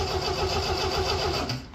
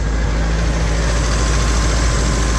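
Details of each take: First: 1975 MGB project: has spark, even rhythmic cranking with no firing; fuel pump heard trying but no fuel reaching the filter, so it cranks but won't start. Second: 1975 MGB four-cylinder starts on the key without touching the throttle once the fuel pump runs, catching quickly and settling into a steady, even idle with no misses before shutting off; healthy start and idle.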